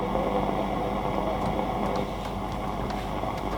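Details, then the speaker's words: Silver STW44 boombox in poor condition, AM band tested, FM works well: steady hiss and crackle with only a faint buried station; poor AM reception, a wire found hanging off, antenna connection suspected. "just good FM but rubbish when I am so not picking up much"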